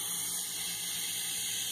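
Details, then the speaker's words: Renault Logan with digital A/C, 57,000 km, heard with the pollen filter cover removed: steady sharp hiss from inside the evaporator box, nearly 200 psi in the circuit; refrigerant leak inside the dashboard. "O barulhão vem lá de dentro, ó. Ó, aquele barulho que você ouviu lá, quase 200 libras de pressão aqui, ó."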